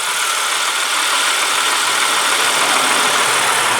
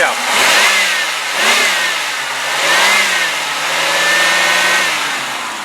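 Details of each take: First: 1995 Oldsmobile Cutlass Ciera 3.1L V6 with automatic transmission at idle: faint, quick ticking of mild valve train noise from the top end, no low-end knock. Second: 1995 Oldsmobile Cutlass Ciera, 3.1 L V6 automatic, 9,335 miles: engine revved up and down, no bottom-end knock, only a slight valve-train tick, judged not a big deal.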